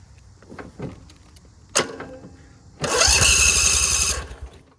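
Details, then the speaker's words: Ferris IS 2000 Z zero-turn mower started before an oil change: a few cranking clicks, then the engine catches with a harsh, raw, crackling blare that is far too loud. It is running without a muffler. "It's very loud. It needs a muffler. You can really use a muffler. As you can hear, it's very loud."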